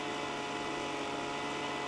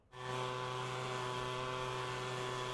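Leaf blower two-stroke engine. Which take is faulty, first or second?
first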